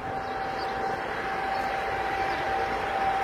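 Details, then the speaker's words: Tecnam P2006T light twin during the preflight walkaround, master switch on, right-wing stall vane lifted; a steady mid-pitched warning tone sounds over the outside noise; the stall warning horn works. "you hear the stall warning on the right wing of the plane?"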